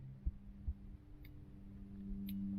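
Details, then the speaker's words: 2000 Acura 3.2 TL factory alarm with an added 507M tilt sensor, horn relay removed, under-hood test: a couple of sharp clicks as the alarm relay pulls in and the alarm triggers, then a low steady hum; normal. "okay so if this will click we can listen for the Relay too and this will both make a little click"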